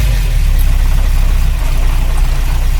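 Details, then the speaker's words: 1953 Oldsmobile Rocket Super 88 barn find with Hydra-Matic automatic and new Edelbrock carb (drive-engagement lugging traced to the carb, not the transmission): deep, slow loping idle sags and nearly stalls when put in gear; owner reluctant to lower idle further. "job when you put it in gear kind of love and almost dies"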